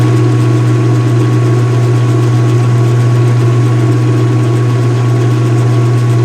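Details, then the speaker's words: Speed Queen washer with the cover open, on a wattmeter, washing white bed sheets: transmission spins with a deep resonant drone likened to a big-block V8 exhaust note, no knocks, scraping or wobble; normal spin. "resonant sounds that it makes now is very reminiscent of the nice big block V8 American engine. Oh yeah. It's got that nice like exhaust note almost, you know?"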